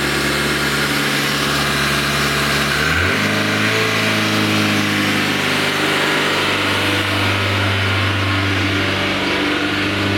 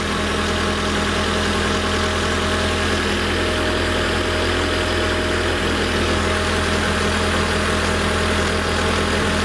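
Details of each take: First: Renault Twingo after replacing the idle control motor on the throttle body and doing an accelerator relearn procedure: engine starts then revs jump and hold at a steady high idle that does not settle while warming, idle not yet learned. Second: Renault Twingo idle after the throttle body was removed and an idle relearn was done (ignition on, off, on, then start): steady, even low drone, slightly high but stable; one small misfire noted, no fuel smell, normal idle.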